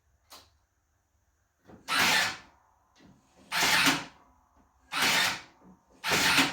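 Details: Toro TimeCutter SS 5000 zero-turn after electric brake control module replacement: four short, even motor whirs about a second and a half apart, each starting and stopping cleanly; parking brake module cycling normally.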